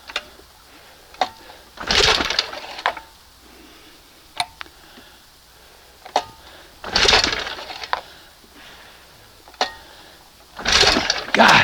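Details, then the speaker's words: 1971 20 hp Johnson outboard: repeated rasping pull-cord yanks after three or four priming pulls with the choke closed, then opened, with plenty of fuel; only faint sharp pops, never catches; hard starting. "You know, three, four pulls to prime it up, choke it up. You hear it trying to pop."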